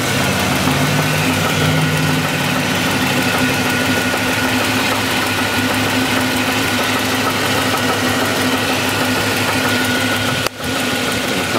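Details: SS (per title) at idle, heard from underneath: rough idle with a regular deep knock in step with the engine, persisting with accessory belt off; definite connecting rod knock.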